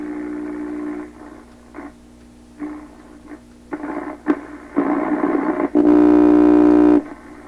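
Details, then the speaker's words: 1928 RCA Victor Model 28V radio after replacing cartridge grid-leak and plate resistors: whistling oscillation at the top of the dial, hiss and crackle while tuning, real noise signal received but no stations yet. "Well, it's definitely receiving something. I mean, this sound you hear now, that's a noise sound. All radios in here pick this up. That's a real noise signal."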